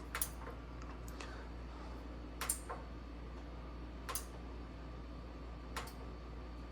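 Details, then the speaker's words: Bertazzoni X365 GGV X vent hood whose lights come on and off by themselves: sharp, irregular relay clicks over a low mains hum from a faulty main relay control board, no grease buildup; board to be replaced. "see I hear the clicking noise yeah it comes on by itself so that is be 100% this main relay B is the problem"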